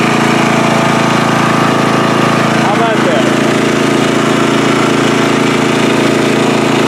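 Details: Free riding mower on a first start test after its gas tank was drained and fuel was added by hand amid flooding: the single-cylinder engine holds a steady, even beat at constant speed with no hunting or stumbling, running healthy.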